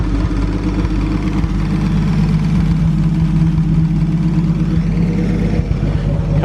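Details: 1937 Talbot 3 Litre straight-six, recommissioned after decades unused, on a brief run while things get used to running again. Even, smooth low beat at steady idle, regular firing with no knocks or misses; healthy.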